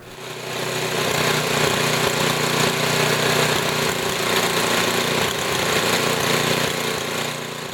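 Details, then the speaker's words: Tecumseh HM80 8 hp small engine, warm, high-speed mixture screw being set, stock setting 1.5 turns out. Revs up and holds a rattly, slightly uneven, surging beat, not yet smooth: uneven running during carburetor adjustment. "ed adjustment first you can hear it even out and then get worse as I turn the screw"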